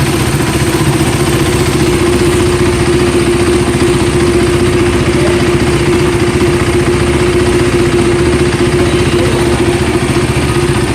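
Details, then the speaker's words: KTM Duke single-cylinder engine idling after service replaced worn intake camshaft and rocker arm that caused ticking; even quick idle, light clatter, no valvetrain tick, harshness from mic sensitivity; normal idle, problem mostly resolved. "s'okay as you have seen the problem has mostly been resolved and I'm happy"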